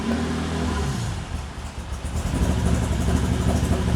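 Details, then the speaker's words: Toyota 2GR V6 in an MR2 Spider on a Haltech ECU, cam timing deliberately set to mimic big cams: uneven, loping idle with a rhythmic stumble about three times a second. "See, and now we've got big cams. Yeah, leave it like that, Marc. Leave it like that. It's got to sound like it's struggling, so let's do this."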